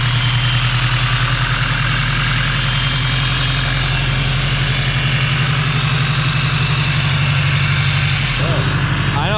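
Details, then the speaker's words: 8th-gen build engine, smooth even idle with steady low drone, no ticking, knocking or hunting; AFRs around 13, check engine light on and valve adjustment still due: normal idle. "all right up y'all sounds normal sounds good sounds right afrs are chilling like 13s"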